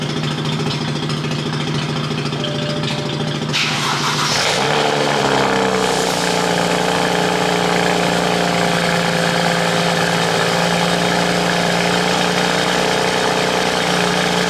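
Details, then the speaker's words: BMW cold start after sitting in the garage a few days with a flat tire, RX-8 running nearby: starter whir, engine catches and settles into a steady, slightly raised cold idle with an even beat, no misfire; normal healthy cold start. "But I hadn't done a cold start on this yet, so we'll probably do a cold start on the BMW."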